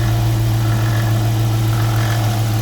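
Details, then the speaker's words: 2018 Dodge Charger R/T V8 idling with a faint rhythmic rattle present for a few thousand miles, first suspected at an idler, tensioner or pulley; the cause was a worn water pump with shaft play and no leak. "all right guys i got a funky rattling noise coming from what i think is one of the idlers or the tensioner or something so as you can you can kind of hear it has a rhythm to it"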